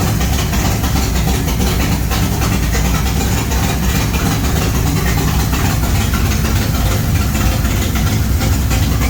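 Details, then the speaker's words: G-body Monte Carlo SS V8, first start after an under-hood fire, with parts replaced a week later; deep, steady idle with an even low rumble and no knocks, ticks or stumbles; idling smoothly and healthy. "all right so all right everything looking good everything sounding good"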